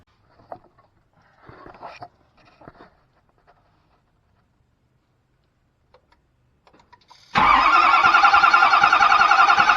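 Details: Ford F450 6.7 Powerstroke with a reported engine knock and front oil leak, cranking during a compression test: sudden strong, even crank about 3.5 beats per second, no misses; cylinders 5 and 6 read about 350 psi, normal cranking.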